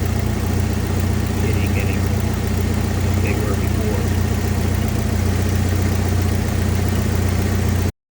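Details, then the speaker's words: 1991 Jeep Wrangler idling about 30 seconds after an engine flush was added to sludged oil: steady low, even drone with no sharp lifter tapping standing out; the valvetrain is already quieter. "this is only after 30 seconds it's already quieter"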